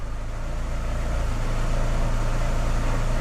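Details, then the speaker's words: 2006 Chevy Aveo after new plugs, wires, coil, EGR cleaning and IAC valve replacement for rough idle and P0300: steady, even idle in Drive with brake held, no misfire, stable rpm; rough idle fixed. "well seems like it's idling good our PM's aren't jumping you can't hear it misfiring at all it's put in and drive because that's where it got the worst"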